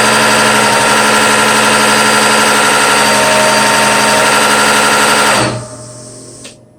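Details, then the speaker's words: Bosch CPN5 common rail diesel injection pump on a test bench at 800 rpm: loud, fast, even hammering rattle with a metallic ring, then it cuts out; normal for this pump. "you know with this rapid rise you know of the pump up and down you know it's no wonder there's loud I don't want you to hear how loud this thing truly is this is 800 RPM"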